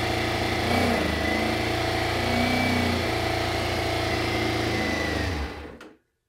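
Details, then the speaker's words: 1996 Kawasaki ZZR 600 (ZX600E), bought non-running after long storage, cold start on choke, fuel on reserve, in neutral: runs unevenly, bogs and wavers whenever throttle is opened, then cuts out; rough running, won't take throttle. "Okay, it runs. It runs. It doesn't like any throttle, but it runs."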